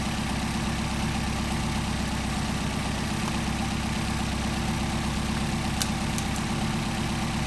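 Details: Car with freshly rebuilt dual Solex carburettors, idle mixture screws adjusted for best idle: deep, smooth idle with a steady rhythm, no misses or hunting; normal idle.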